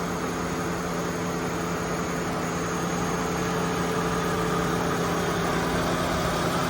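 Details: Chevy Malibu V6 ex-AT&T fleet car bought at Copart, hood open, oil shows no coolant intrusion: smooth even idle with steady low drone, no knocks, ticks or misses; runs great.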